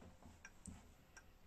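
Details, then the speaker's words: Old German three-weight clock with freshly serviced movement, mounted in its case under restoration: quiet, even tick-tock roughly every 0.7 seconds with no skips; the escapement runs healthy and the clock works very well. "Este revizuit la zi, funcționează foarte bine."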